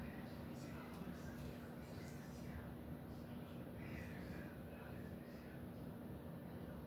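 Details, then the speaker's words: 52" Home Decorators Tahiti Breeze ceiling fan on high, truss-mounted: a steady low hum with a faint fixed tone near 240 Hz holds under the airflow rush. The motor hums on high in either direction. "ar it hum every time it goes to high on any direction, but it's humming pretty decently. I don't know if I think the one at my grandparents' house had hummed a little bit like this. I don't think it was that loud though."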